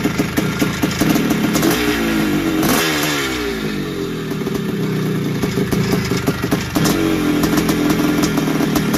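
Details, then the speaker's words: 1981 Suzuki RM465 two-stroke barn find, started after putting fuel down the plug hole; rough, uneven running with a loose metallic rattle and a rev dip, heavy smoke. Owner suspects a worn top end and blown main seals, clutch side. "turn that off so no it sounds like it needs a top end or something sounds a bit rattly and it could even have a blown sure by the amount of smoke that was going out the back"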